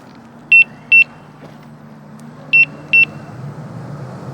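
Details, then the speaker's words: Begode (Gotway) EX-N electric unicycle at 78.9 miles with no load, tilting back near empty: high sharp paired beeps about every two seconds while sitting, low-battery warning. "just sitting there beeping and i'm at 78.9 miles but i can actually run it because that's no load right"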